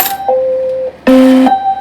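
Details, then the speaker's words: Hyper Juggler Pachislo slot machine being repaired: short electronic tones stepping between two or three pitches in a quick chime, alert indicating a coin mechanism fault. "Okay, that's telling us right there. That's telling us right there that there's an issue with our coin mechanism."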